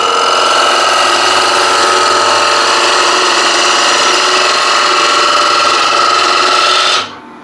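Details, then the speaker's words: Dull bowl gouge on lathe cutting chestnut bowl corner: harsh scraping rasp with squealing edge as tool is forced in with much more pressure; blunt gouge rubbing instead of slicing, leaving torn surface. "I'm using a lot force a lot more Force just to get this little corner"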